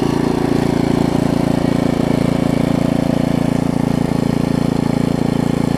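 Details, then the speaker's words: Craftsman rear-tine tiller, 5hp Briggs, stored for years with empty tank, after cleaning, new carb diaphragm and adjusting the carb screw: steady, even single-cylinder beat with no hunting or misses, running smooth, normal running. "so I took it I just adjusted the screw out there a little bit listen to that thing run now things are amazing"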